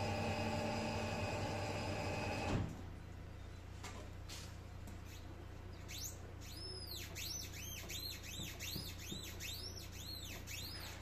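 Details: Mercedes C-Class S205 with the engine off. Repeated rubbery squeaks, three to four a second, as the steering wheel is turned; left side only, no visible play. The owner suspects the control arm.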